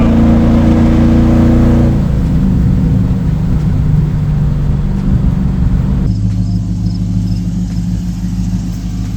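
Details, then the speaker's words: SVT Terminator-swapped Mercury Marauder V8 with mufflers, driven varying rpm and engine load to break in the rings; deep loud burble with strong rev, then steady cruising rumble, sounds healthy and strong, like a stock car. "Just out here varying the RPM, varying engine load, working on these rings. Sounds so good"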